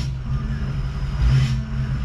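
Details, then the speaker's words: Ford 6.0 Powerstroke with MBRP 4-inch turbo-back exhaust, S&B cold air intake and SCT Livewire tuner, backing up at low speed: deep, even diesel rumble with no knocks or misses. It sounds healthy. "and see why people like these things even though they're they have their issues they definitely sound good"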